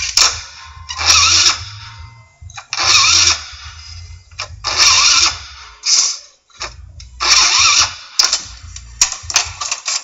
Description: Scooter wont start please help me fix it !!